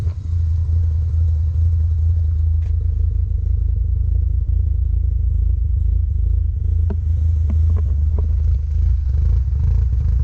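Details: 1990 Mazda RX-7 FC turbo rotary after OMP delete and new intake gasket fixing a boost leak: smooth, even low rumble with steady revs, no knocks, rattles or misses; normal running.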